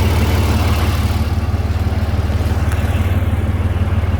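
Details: Overland truck after muffler-shop repair, pipes spaced apart with shorter expansion clamps fitted so they can't saw through each other: steady, even idle pulse about four beats a second, no rattle, knock or ticking; normal idle.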